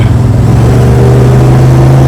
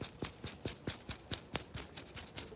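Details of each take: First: 1973 Dodge Dart Swinger driving after steering column rattle repair: steady engine drone with even low hum, no column clatter; speedometer now not working so no speedometer noise, though a different rattle has appeared. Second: 1973 Dodge Dart Swinger steering column bearing, turned by hand: gritty, crisp ticking about twice a second, easing as it is worked; bearing dirty and dry, to be cleaned and packed with thick grease.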